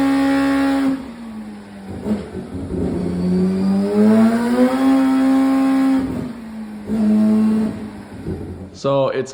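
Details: Four-rotor Mazda RX7 after a rebuild, first start and tune, with a four-into-one collector and 3.5-inch exhaust with one box. It revs into the higher RPM range with a crisp, even, loud buzz, no misses or knocks; running really well.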